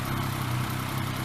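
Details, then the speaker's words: Yamaha MT-09 motorcycle idling right after an oil change (winter storage prep), briefly run to circulate fresh oil; engine has quietened nicely, steady even idle with smooth low drone, no tapping or rattle; normal idle. "nasz silniczek się już pięknie wyciszył zupełnie taka chwila wystarczy"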